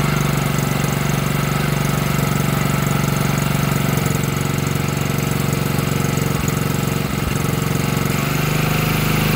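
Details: Chinese 110cc quad, first start after fitting new carburetor: small single idles unevenly with loose stumbling beat about three per second, a little smoky; carburetor not yet adjusted, rough running.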